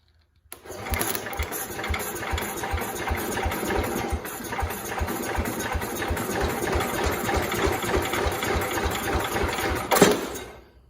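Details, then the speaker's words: 1969 Cub Cadet 105 single-cylinder with a chronic hard-start problem, cranked on a second battery: starter drags it over slowly and unevenly, never catching; owner notes it seems to draw much more current to spin. "so here's what I'm wondering I notice it from the generator it seems like it's drawing a lot more current or it's drawing a lot more power to try and spin the engine"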